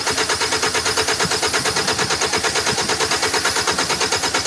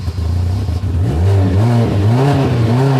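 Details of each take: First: 2010 Hyundai Sonata 2.4, intermittent no start, no codes, spark and injector pulse present: even cranking about three turns per second, then fires and runs once fuel is sprayed into the intake; lacking fuel delivery. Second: 2010 Hyundai Sonata 2.4 with intermittent no start and stalling when the throttle is touched, no codes, after fuel pump circuit diagnosis; fires up and revs up and down without dying or stumbling; normal start and rev.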